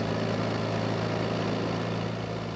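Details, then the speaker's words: Toyota 4FG/4FD forklift with a 5R engine, torque converter stall test in reverse at full throttle: the engine pulls down to a steady, even drone with no flare or surging. Speed falls from a 2600 rpm maximum to a 1700 rpm stall speed; the manual spec is 1800. Normal. "watch the change from the maximum speed to the stall speed the maximum speed is 2600 RPM the stall speed level is 1,700"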